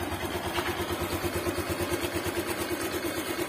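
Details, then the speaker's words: Motorcycle that ran out of engine oil, after engine overhaul: even, quick single-cylinder idle beat, about three pops a second, with no knock or rattle; sounds smooth. Normal idle. "Oke bosku, alhamdulillah sudah selesai di kolter ya. Dan suaranya halus bosku, suaranya bosku"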